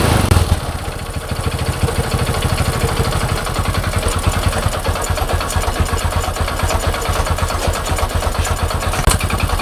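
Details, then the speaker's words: Honda Supra X 125 motorcycle with hard cold starting and stalling, after valve clearance adjustment: brief crank, quick catch, steady even single-cylinder idle with no ticking or misses; back to normal without replacing other parts. "la moto est revenue à la normale, les amis, elle roule déjà sans que nous la changions toutes les autres pièces."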